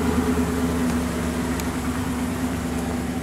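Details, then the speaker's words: 1986 Ford LTD Crown Victoria LX, 5.0 Explorer V8 with GT40P heads, Mustang A9P computer, after KOER cylinder balance test: low, steady idle with smooth unbroken rumble, all eight cylinders firing, hood no longer shaking. "see how it doesn't dance around when all the cylinders are going"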